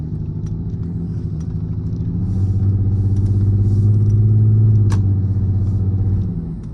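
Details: 28-year-old Lexus GS300 on a cold start before repair: lumpy, uneven low thump around 200 beats a minute at idle that never settles; dead cylinder from failing ignition coil, ignition coil misfire.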